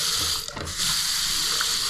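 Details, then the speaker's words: Newly fitted McAlpine 32mm anti-syphon bottle trap on a bathroom basin, water running: steady hiss with no glugging, the earlier gurgling now gone; normal basin drain, no gurgling. "There's no noise now. Did you hear that? So there's no gurgling noise. So that's solved the problem now."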